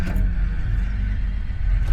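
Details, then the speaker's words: 1975 Jaguar XJ6 after a misfire, running with a substituted distributor, good points, condenser and spare coil: low, steady, even idle with no stumble or skipped beats; engine running cleanly. "I just grabbed a spare coil and so far it seems good it starts up very nicely"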